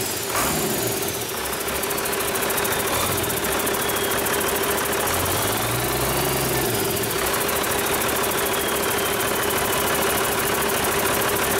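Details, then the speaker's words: Rebuilt 8.3L Cummins diesel with inline injection pump, for a Hyster 15K forklift, first start after rebuild, no coolant fitted: steady, even idle with no knocks or rattles over background hiss, good oil pressure, no leaks; normal idle. "i like it well i think bailly would approve it sounds good to me"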